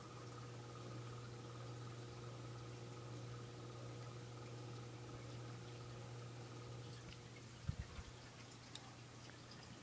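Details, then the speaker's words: SMC UF42 ceiling fan on low speed, moving plenty of air; quiet steady hum with a faint electrical motor buzz under the airflow, cause unknown; slight wobble noted on high: faint motor buzz. "you see in here do you hear the buzzing it's it's uh just a faint Buzz sounds pretty cool in here"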